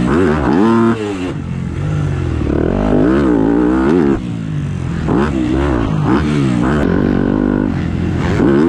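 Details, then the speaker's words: 250F dirt bike at a supercross track: revs climb and fall while riding, then cut out abruptly a couple of times before picking back up; intermittent random sputter, cause unknown. "my bike keeps like randomly sputtering"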